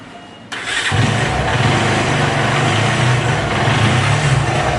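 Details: Bajaj Pulsar 220 engine catches and settles into an uneven idle with a dull, irregular knocking under it, pointing to rod, piston and balancer wear.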